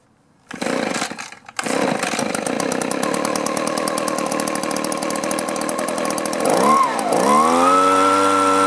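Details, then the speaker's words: Echo two-stroke blower, four-month-old aftermarket carburetor, low-speed screw turned out a quarter turn: buzzy engine catches, stumbles, dips and sags instead of holding revs; a debris particle found near the needle valve was thought to be plugging a carburetor port. "there we go again even though it hasn't been long maybe the carburetor got clogged up or gummed up"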